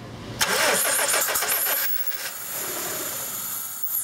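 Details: 2001 Honda Civic 1.7L with good fuel pressure: cranks, catches and runs roughly about a second, then stalls to a fading whir. Timing belt found one tooth off; fixed by resetting the belt.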